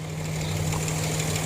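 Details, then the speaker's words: Nissan Xterra 3.3 V6 at 183°F operating temperature after fixing bank 2 running rich: steady, even idle hum with no stumbles or misses; engine purrs, normal idle. "we'll go out here and listen to this internet purrs and no missing whatsoever"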